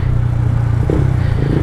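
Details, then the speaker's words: Yamaha Vixion riding with the new rear unit-track/arm bushing not fitted: steady low engine drone, the earlier squeak gone, no creak; quiet, healthy suspension. "alhamdulillah sekarang motor Mamang Alhamdulillah lancar jaya gak ada bunyi ngikngikngik kayak Kus enggak ada aman"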